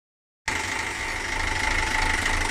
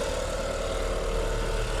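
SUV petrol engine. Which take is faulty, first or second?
first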